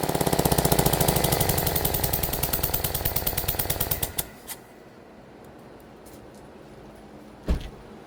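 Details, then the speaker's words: Engine whose spark plug blew out, previously told it needed a new motor; loud fast chuffing about four per second over a rough idle, running on three cylinders with compression escaping the open plug hole, then shutdown. "Now it does sound like the spark plug shot out. We're going to hear that. But in the meantime, let's start up, see what it sounds like. It just sounds like it's running on 3 cylinders and a lot of compression seeping out of one of the cylinders."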